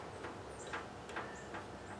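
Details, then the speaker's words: About 20-year-old Bolens lawn tractor with a Briggs & Stratton Intek 15.5 hp engine that would not start, during electrical diagnosis. When plugged back in, the fuel shutoff solenoid at the carburettor base gives faint, sharp ticks: it is clicking and working. "Oh, yeah. And I hear it clicking now as I plug it back in. So, that's good. That's working."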